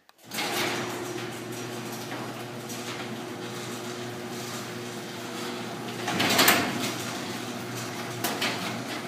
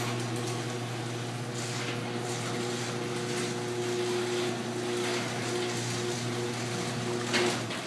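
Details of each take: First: Garage door running on its opener, with a steady hum and door rumble, then a loud bang as a sagging section droops low on the way up and drops and pops on the way down. Heard during a DIY repair attempt using a metal bar. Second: Garage door after DIY fix of sagging section with a 2x4 screwed across the panels: steady opener motor drone and light rolling rattle as the door travels smoothly, no popping or dropping.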